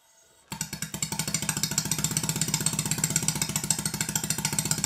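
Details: Stuart Sirius steam engine running after big end bearing adjustment and valve timing check; crisp, even exhaust beats at a steady quick rate with a clean rhythm, valve timing correct, unlike the other engine with late (retarded) admission.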